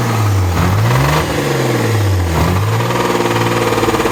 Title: Mazda rx 8 rattling noise from engine